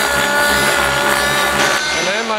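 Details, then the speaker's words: Synergy N5 nitro RC helicopter in flight: high buzzing note turns uneven with crackling as the engine goes lean, demonstrated by popping the pressure line. "suddenly starts going leans here oh it's crackling and so my engine went lean"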